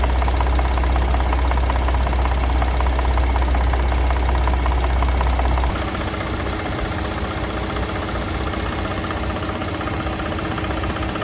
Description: VCT Phaser issue causing 2020 Expedition Platinum Engine Start Rattle and Engine sounds like a diesel engine intermittently.